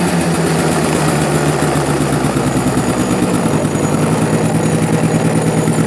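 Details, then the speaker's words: Cobra Chinese quad, kick-started on one kick after carburetor cleaning: steady, slightly uneven low thrum at about three pulses a second settling into a fairly smooth idle, no knocking; normal idle. "but as you can hear and see it's a one kick wonder it seems to run halfway decent"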